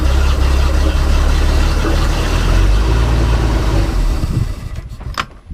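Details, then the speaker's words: Manta Ray boat with a MerCruiser 4.3, new fuel line and filter: steady low idle drumming for about four seconds, then falters and dies; stalling later traced to a broken oil pressure safety cutoff switch. "That's my issue, is it keeps dying out."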